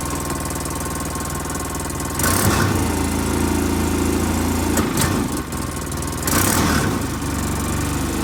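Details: 2005 Polaris Ranger XP 700 EFI, cold just after start, after throttle body and TBAP cleaning, rich exhaust smell: fast busy idle with surging bursts, not settling; high idle, owner assumes throttle cable was turned up.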